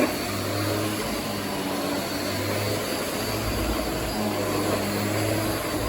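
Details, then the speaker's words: Bissell DigiPro 6900-C canister vacuum (made 2006) with power head on old matted rug: steady roar with low hum surging and dropping every second or so; power head fluctuating, struggling to pick up dog hair. "And I can feel and hear it fluctuating and raising itself up."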